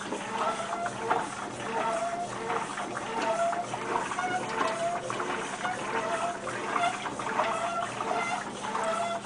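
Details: Maytag Centennial MVWC300XW top-load washer: repeated high, bird-like squeals with each agitation stroke, roughly one a second, screeching during the first wash cycle and then seeming to stop.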